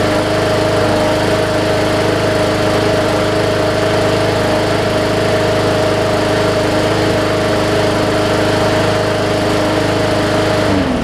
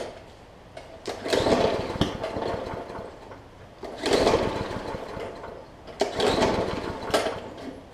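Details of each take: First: Second Hyper Tough Briggs and Stratton OHV push mower with plastic carb, sat over winter, still on its original old fuel; started right up and runs smooth and even with a steady hum and no misses or knocks, then shuts off. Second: Briggs & Stratton OHV (plastic carb) Hyper Tough push mower that sat over winter with water in the fuel: three pull-start cranks with sharp pops that never catch. Water is likely on the plug too; fresh fuel and heavy priming are the fix.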